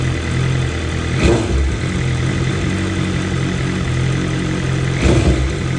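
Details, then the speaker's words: 2023 BMW M1000RR Competition with a new exhaust system and stock muffler, fully warmed up: a steady idle that rises and falls gently every few seconds; the mild idle hunting is normal, from high-lift cams and high compression. "you can see how the idle hunts a little bit right there um that's just due to the fact that we have a new system on here"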